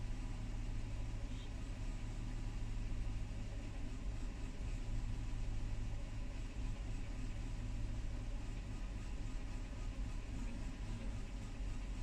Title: LX470 rough idle & stalling